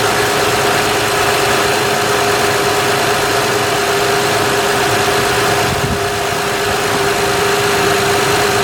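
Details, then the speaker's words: 2006 Honda Odyssey EX-L RES with a newly replaced power steering pump, filled with Honda fluid: a constant high whine around 400 Hz over a steady idle as the new pump complains from trapped air before priming. "let me just show you what it's going to sound like it's going to complain a little bit I did fill this up but it's going to complain"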